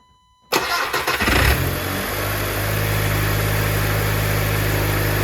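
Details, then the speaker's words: Car just after intake valve and mass airflow sensor cleaning with CRC cleaners: quick crank, fires right up, brief flare then settles into a steady, even idle with no misses or knocks; pretty good running. "All right, I would consider that pretty good running."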